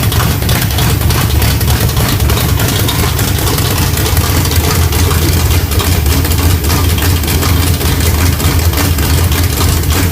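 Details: Small-block Chevy 350 V8 with a Thumper hydraulic roller camshaft at idle: deep, choppy idle that rises and falls in an uneven lope from the aggressive big-overlap cam.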